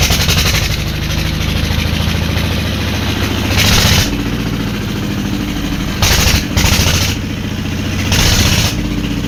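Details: Old single-cylinder diesel engine (Deggi), after plug change, refused to start easily and finally started with great difficulty: uneven chugging with repeated revving bursts before running; hard starting.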